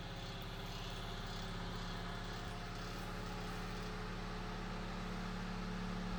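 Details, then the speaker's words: Late-1940s/early-1950s Knapp Monarch Jack Frost 8-inch single-speed table fan, high-RPM, running with steady hum and pulsing buzz; bent, out-of-alignment blades throw it off balance, causing vibration. "so it definitely throws it pretty well off balance so it's definitely makes a vibration noise but it doesn't really dance across the table or anything like that it just a tad bit noisy I'd say"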